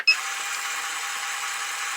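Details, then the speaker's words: Lyman Gen 6 powder dispenser/scale while dispensing a charge: a steady, even high hiss from the small motor with no catches. The motor runs normally; only the loud completion buzzer is the annoyance. "And the machine makes a little bit of noise while it's running, but it's not uh it's not terrible."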